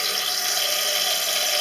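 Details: Toilet cistern after adjusting the float screw, level set about 5 mm below the overflow edge: steady, even hiss of water filling the tank with no sputter or surging; fill valve refilling normally.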